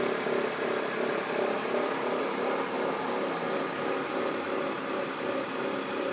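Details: BMW E46 323Ci idling with an unidentified noise: steady, hissy rasp over the run with no distinct knock, source unknown; owner also reports white smoke.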